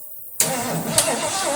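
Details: 1973 Mercury Cougar XR7, first start since 1985, carburetor bowl filled with fuel by hand, carburetor untouched: silence, then the engine catches abruptly and settles into a steady idle.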